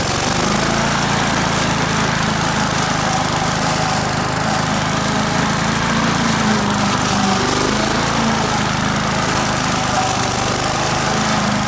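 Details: Australian-built Rover four-stroke mower after governor spring straightened: steady, even drone with no misses, surging or knocks; runs smoothly and sounds healthy.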